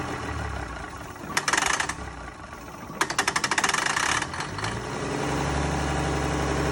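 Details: Mack B61 semi diesel, a leak developed: uneven running broken by two bursts of sharp popping backfires, then a low steady drone; it backfired a few times and died on its own.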